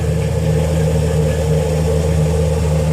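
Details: 2007 Dodge Grand Caravan wheelchair van, 67k miles, heard from underneath: smooth, even idle hum, steady pitch, no ticks, knocks or exhaust puffs; only surface rust on exhaust and frame; normal idle.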